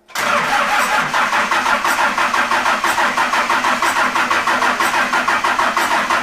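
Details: Cummins diesel swapped into a Jeep YJ, first start; catches at once, a little choppy at first then steady even clatter, funky intake air sound; normal idle after start.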